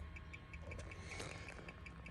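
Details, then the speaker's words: 2015 Kia Soul, engine off, inside cabin: fast crisp turn-signal ticking about five or six clicks a second, left signal bulb not lighting; bulb ruled out. "And then I'll take you inside the car. And we still have that really quick ticking."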